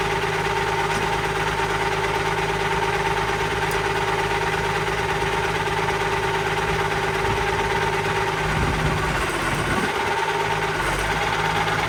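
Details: Allis Chalmers 190XT diesel tractor just revived: steady mid-pitched whine over the idle rumble, constant throughout; owner suspects the alternator, possibly the hydraulic pump, unconfirmed.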